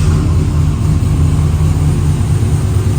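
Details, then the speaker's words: Chevy truck V8 with a newly installed 4L60E, FTI 3200 stall converter and NP149 transfer case, cold start after sitting a few days: strong, even low rumble at raised idle, no knocks or misses; normal cold fast idle. "Man, I really love how this thing sounds. Right now it's a cold start, so yeah, it's going to be revved up or whatever because it has been running in a few days."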